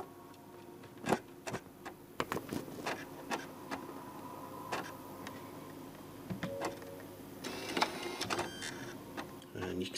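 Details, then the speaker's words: PS5 Blu-ray drive with a Call of Duty Black Ops disc in good condition, after a FIFA 22 disc also failed: repeated clicks and short whirring seeks, never settling to a steady spin, then "unreadable disc"; the fault was the drive's motor controller IC, not the laser. "We do have another disc here, Call of Duty Black Ops, and the disc is in good condition. You can hear it searching. And there we go, unreadable disc again."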